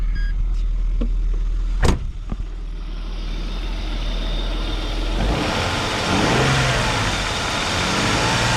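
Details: Engine catches, settles, then revs up cleanly and smoothly without misfire or knock, after a replacement plug lead fixed the earlier problem; running healthy.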